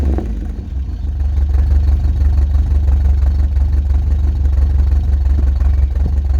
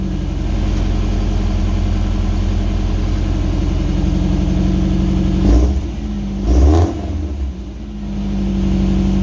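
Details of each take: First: Old Subaru wagon (daily driver) with a fiberglass-packed X-Force straight-through muffler, before replacement: deep, loud droning rumble with a booming low note, heard from inside the car. The straight-through muffler makes the exhaust loud. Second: Subaru wagon, first start after welding in a new Lukey Turbo muffler to replace a straight-through one: deep, steady idle with a couple of clean throttle blips settling back; exhaust sounds even and well muffled.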